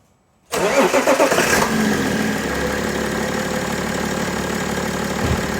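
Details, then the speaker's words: BMW E90/91/92/93 325d/330d M57 diesel after accessory belt replacement with the original-type belt: cranks, catches and settles into a steady idle with no chirp or squeal; belt noise cured. "Bueno ya vemos que el cambio de correa le ha sentado bien porque ahora no mete absolutamente nada de ruido"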